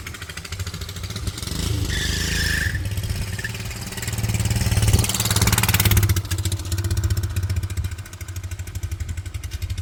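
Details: 1940s Whizzer motor bike single-cylinder engine, choke off, bowl gasket seeping fuel: fires right up, chuffs along steadily, then revs up and settles back; runs clean and healthy.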